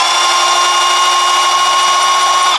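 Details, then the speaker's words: Drilling a steel window lintel overhead with a metal drill bit by hand pressure alone: steady high drill whine at one even pitch with no bite; bit just spins, not cutting, as upward pressure can't be maintained. "because you're just going to be stood there for ages you cannot maintain that upward pressure working above your head you ain't going to get through that piece of Steel"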